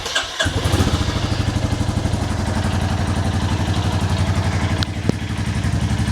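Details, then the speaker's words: 2022 Royal Enfield Classic 350 Reborn, stolen and recovered, idling before valve check, mic removed: steady single-cylinder idle with light top-end tick each beat and puffing blow underneath; valve train tick plus suspected exhaust joint leak. "okay if I take my mic off you can sort of hear the top end that happing but also it's doing it from the bottom end as well so we got the top end tick and from the bottom end as well"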